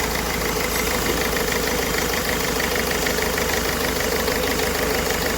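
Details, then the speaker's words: Ford Figo showing code P0203 for a shorted injector 3, with the malfunction light on: uneven idle with a knocking, stumbling beat about three times a second; cylinder 3 misfire from the shorted injector. "तो यह injector shot हो गया है तो ठीक है इसका short हो गया है तो इस कर के गाड़ी में इसका रही है और इसमें मालफंक्शन की लाइट ए रही है"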